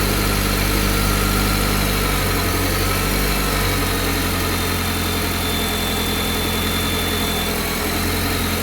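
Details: Cold engine idling with a steady low drone and an uneven overlying rattle or hum that shifts after a couple of seconds; noise at cold idle, source unclear.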